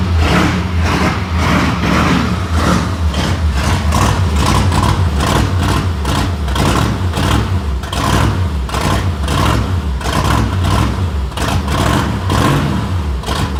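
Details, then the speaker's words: Ford Fairlane V8 freshly rebuilt, not run in a while, manual choke, in neutral: lumpy loping rough idle with stumbles over deep rumble; choke possibly on too much, timing likely off, valve lash unadjusted. "Well, it fired off. I think the choke might be on too much. Well, it is quite obvious this hadn't run in a while."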